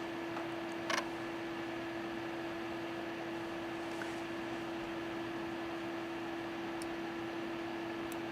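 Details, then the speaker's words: Data I/O 2900 chip programmer fan picked up on a second mic while it boots: quiet, steady hum at one tone with a faint airy hiss, no ticking or rubbing. Fan running normally. "Turn this mic on. You can hear the fan. Maybe it's coming through."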